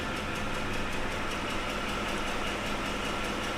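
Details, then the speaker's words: 2006 Ford F-150, 5.4L 3-valve V8, 224,000 miles, slight miss with codes P0308 and P0316: no chain slap on startup, but a light, consistent tick at idle. VVT data looks fine, and a cam phaser is a concern. "So you notice that we did not hear a timing chain slap on startup. It sounded really good. But now we have this ticking sound."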